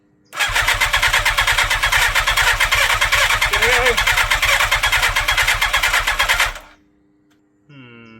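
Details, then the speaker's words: 1987 Yamaha FZR1000 with refurbished carburettors, idle 16 years, choke applied and higher voltage: even starter chugging for about six seconds, never fires. Owner suspects fuel isn't reaching the engine since it originally had a pressurized fuel pump. "Not quite yet. I don't think fuel's getting in there. Because obviously this would have had a pressurized fuel pump."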